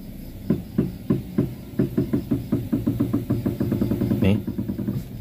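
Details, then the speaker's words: Car front wheel knocking when steering is turned, also over bumps and potholes: dull tek-tek ticking knocks about a hundred a minute, quickening as the wheel turns, though steering play not yet felt; worn tie rod end. "itu bunyinya ya, Teman-teman. Bunyinya tek tek."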